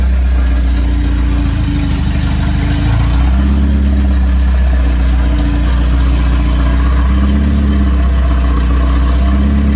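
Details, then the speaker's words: Honda EF Civic build, started in neutral: steady even idle, smooth low drone, no knocks or misses; runs well, though a valve later let go after driving. "Sounds like it's running pretty good though."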